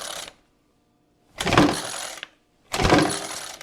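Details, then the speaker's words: Ryobi RY25AXB Jetfan two-cycle leaf blower, old 40:1 fuel; two pull-cord cranks with brief whirring rattle, never fires, shuts down even with starting fluid; carburetor clean planned; cranking no-start, cause unconfirmed. "I mean it just even starting fluid it you know it just shuts down"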